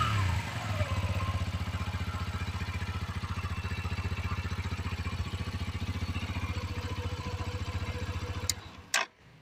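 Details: Romet Chart 125 single-cylinder OHC engine after valve clearance adjustment: settles from a blip into an even, steady idle near four beats a second with no valve tapping; healthy idle.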